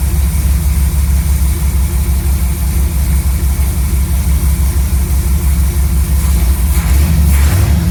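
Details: Chevy C10 V8 truck after a new Maxpeedingrods Quadrajet carburetor install: deep, steady burble at a raised idle, even firing with no misses or ticks. Idle was turned up quite a bit and mixture tuned to about 15 in of vacuum. Normal idle.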